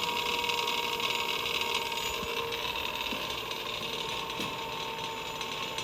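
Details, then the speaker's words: Electric go-kart with QS Motors motor and Fardriver controller during throttle learn/troubleshooting: high motor whine with light, uneven metallic chatter as it spins unloaded; the noise is the drive sprocket rattling loose. "That noise you're hearing is actually just the sprocket rattling on there."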